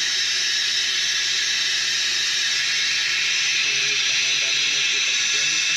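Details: F-4 Phantom in hangar: steady unbroken high-pitched hiss, no machine running; pneumatic leak near the strut cylinder, not the piston, source not pinpointed.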